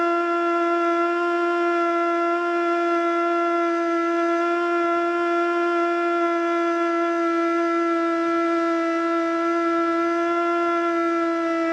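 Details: Older Federal Signal Model 2 siren (old CD box), Princeton NE, alert test: loud steady wail sits on one fairly low note, never reaching full pitch; owner suspects worn brushes.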